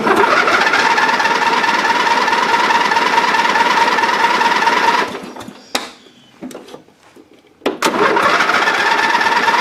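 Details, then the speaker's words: Dynamark riding mower that sat for a long time, after carburetor cleaning, a new gasket and fresh gas. The small engine drones unevenly, cuts out into silence, then catches again with a couple of pops. Still not running right; fuel delivery is suspected. "yeah still not well perfect I was worried there for a second but looks like it runs fires up"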